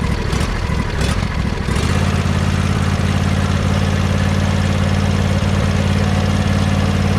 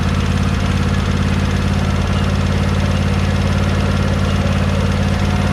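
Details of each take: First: John Deere 100 Series lawn tractor engine idling, recorded near the muffler after a valve adjustment (valves had been tight): brief start-up roughness, then a smooth, steady idle with a faint light tick still present; normal idle. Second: John Deere 100 Series lawn tractor small petrol engine idling with a light regular tick after valve adjustment; valves were already tight, so no difference in noise.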